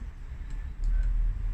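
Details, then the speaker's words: Diesel heater on a 2018 Mercedes Sprinter with newly installed BobilVans hot water kit, starting up: faint soft ticks about twice a second over a low hum as the fuel pump primes normally, just before the fan accelerates. "So I can hear the pump priming. It's about to accelerate the fan any second"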